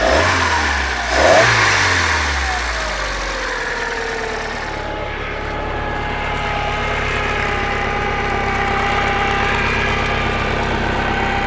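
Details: Bayliner boat engine after a no-spark, then no-start problem; customer had replaced numerous parts and evidently pulled the distributor, leaving ignition timing 180 degrees out. After correcting timing, the engine revs quickly then runs smoothly and steadily with no misfire or knock; normal running.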